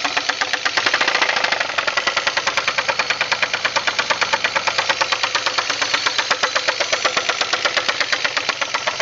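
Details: 2000 Pontiac Grand Prix GT with 3800 V6 running, with a loud, sharp metallic engine knock repeating about four times a second.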